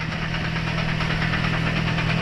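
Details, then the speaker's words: 1.3 L Toyota Vios "Batman" with manual transmission, said to have suddenly got noisy and stopped driving: steady idle with rough knocking vibration from the transmission area on the right, not in gear; cause not yet found. "May tumutunog. May tumutunog. Hindi pa tayo nakaapak ng cambio pero may tumutunog. Dito sa kanan."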